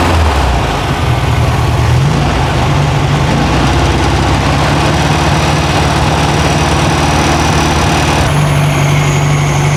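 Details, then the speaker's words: 1968 VW Karmann Ghia with new 1600cc flat-four during cam break-in, about 11 minutes in, high idle: steady fast-idle drone, smooth and even with no knocks or misses; normal, healthy running. "it's running good right now gonna let her cool down we fire it basically I do thermal Cycles so it's sounding happy right 55.60 running 55.60"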